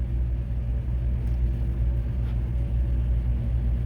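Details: Big truck, idling after being jump-started from a dead battery with a Fly Link Tech BD20 jump starter: low, steady rumble with a smooth, even beat and nothing irregular. Normal idle.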